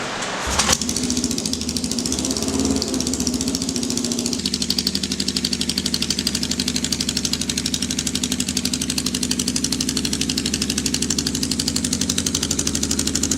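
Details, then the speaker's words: 1979 Kawasaki KZ650 bobber, first start after build with fresh oil and gas: catches after a short crank then holds a raised, busy idle; fast idle because the choke was left on. "I don't know what's that. I had a choke on that. I didn't realize that's the choke on."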